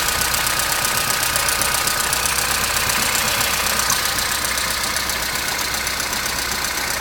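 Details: Opel Astra G 1.4 16-valve on a morning cold start: idle with a fast, fairly regular tinny rattle, about four per second, seemingly from the back; it runs more or less but rattles again, which is new, source not yet found.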